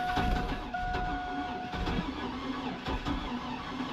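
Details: Oldsmobile Bravada (Blazer-type), sat a while, cold weather: starter cranks and engine spins lightly with no fire; ether gave nothing, fuel pressure present; compression lost.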